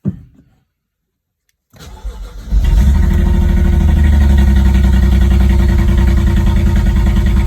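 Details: BMW Z4 E89 35i cold start: starter cranks, engine flares into a loud idle with a lumpy misfire beat about three or four per second; the car rocks, a warning light goes off around 39 seconds, and it sounds strange when revved.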